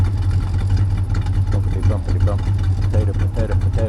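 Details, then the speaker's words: Engine at idle after timing and distributor adjustments with GM cap and coil on aftermarket distributor, heard from the rear: lumpy steady idle with loose, irregular tinny rattle underneath, owner suspects exhaust pipe. "I hear a little bit of a exhaust pipe noise sounds like something rattling under there"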